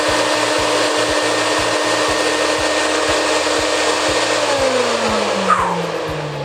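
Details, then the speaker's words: Rainbow E2 Gold two-speed vacuum with brushless two-step motor, starting up; smooth, steady high whine stepping down cleanly to lower speed, no grinding or rattle; healthy, strong motor. "Man, that sounds like a nice, powerful, strong Rainbow vacuum cleaner."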